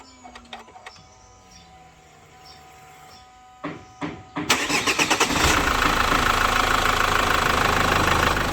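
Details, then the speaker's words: 2011 Chevrolet Captiva diesel after fuel pump, injector, turbo leak and fusebox wiring repairs (was hard starting, black smoke, no power): short crank, catches cleanly into a steady even idle with no misses or knocks; healthy start. "Nah, kita biarkan idle dulu 5 atau 10 menit. Nah, nanti baru lanjut kita running."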